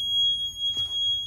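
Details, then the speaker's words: 2007 Freightliner Century with key off, after inserting a 15A breaker in a 10A cluster slot: steady high buzzer/ticking as gauges cycle on their own, low voltage reading 12.7V; electrical fault not traced. "But, it's a ticking noise. Now, I haven't did anything with my dash."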